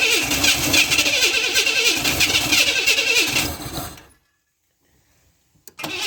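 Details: 1991 Camaro project, cranking with fuel pump pressure around 40 psi: fast, regular starter whirring for about four seconds, stopping and cranking again; the engine turns over but never fires, and the distributor is pulled next.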